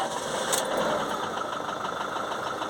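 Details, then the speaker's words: Fiat Ducato diesel with suspected DPF soot accumulation: right after starting it ticks over low and lumpy and won't rev up on its own unless throttle is held. It then slows further and dies. "One of the things wrong with it is it doesn't rev up when you start it, unless you've already got your foot on the throttle, and then it will let you rev it up."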